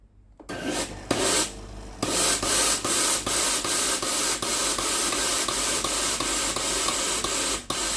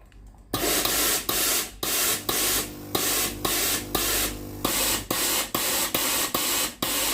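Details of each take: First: Tefal GV9820 steam iron being tested for fault where steam stops and loud ticking starts after 10–30 minutes: steady steam hiss with quick even ticks, solenoid water valve working normally at this point. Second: Tefal GV9820 steam iron after 10–30 minutes of use: repeated hissing steam bursts with gaps and uneven timing, with clicking and then no valve sound; the steam solenoid valve coil opens when hot and makes intermittent contact.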